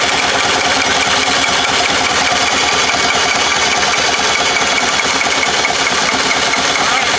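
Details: Bobcat 763 skid steer, idle about a year with suspected water and rust in the fuel; new fuel filter, fresh fuel and additives, fuel line fitting leaking. A long uneven starter grind without the diesel catching; the starter is held too long: long cranking, no start.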